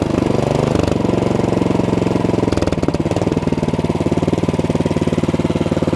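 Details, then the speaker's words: Cub Cadet 3X 30-inch snowblower, after carburetor cleaning of three clogged jets fixed running only on choke: choke off, throttled down to low idle; steady even pulses about three a second, no hunting or surging, running smoothly. "Not bad. Even lower. Sounds good. No surging at all."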